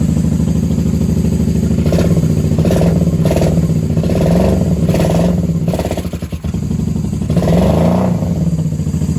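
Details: 1994 Honda Magna 750 VF750C after fuel line repair and airbox reinstall: slightly lumpy idle with a few short throttle blips, no misfires, knocks or clatter; settling, normal idle.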